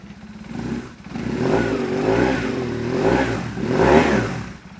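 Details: BMW R1150R that sat five years, after troubleshooting a no-crank no-start: the fuel pump primes on key-on, then the boxer twin catches and settles into a lumpy, uneven idle with throttle blips; mice suspected to be living in the exhaust.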